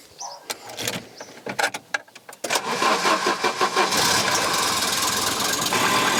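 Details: Volvo 740 quick run-up just after fitting a new engine temperature sensor, sensors dried: brief uneven cranking catches cleanly, then settles into a steady, even idle without misfires or knocks; normal start and idle.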